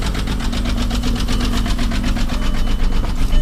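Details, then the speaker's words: 2001 Volkswagen Jetta VR6 with a knocking noise, started with a jump pack: a loose, uneven thump about 2.5 beats a second with clatter on top at idle. The whole car shakes; rough idle, probably misfiring, with valvetrain ticking. Cause unknown. "so you can see it uh it definitely runs like like absolute this whole entire car is just shaking right now"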